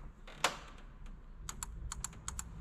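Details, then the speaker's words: Honda engine misfiring on cylinder 2: crisp paired ticks of a removed fuel injector clicking normally while tested on the pulled fuel rail, before swapping injectors. "Słyszysz to? Działa."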